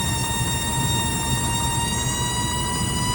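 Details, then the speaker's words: Volvo Penta/Crusader marine EFI water-cooled electric fuel pump squealing near 1 kHz over engine rumble, worsening and hot, because its raw-water cooling line is restricted; verify water flow before replacing the pump. "You hear this thing right here, it's squealing. And your first inkling is that the fuel pump is bad. Well, we see lots and lots of fuel pumps that get replaced that don't need replaced because they haven't verified water flow."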